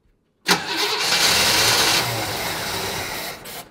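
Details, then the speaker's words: 1965 Chevrolet Impala, start after sitting 20 years: short crank, then a sharp roar as it fires on brake cleaner used as starting fluid and holds a rough, hissy run; smoky exhaust smelling of gas, not oil. "Looks like the poor thing needs a little help. Let me get a little help for it. 12 seconds later. Little brake cleaner, man."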